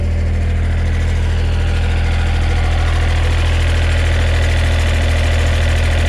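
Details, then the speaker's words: 2010 John Deere 1545 Series II 4WD diesel tractor idling with hood open: a steady low idle with a light, fairly even rattle about two or three a second; thought to be the exhaust rattling at its springs. "I I think that's just the exhaust rattling right there where you can see those Springs but that's just me"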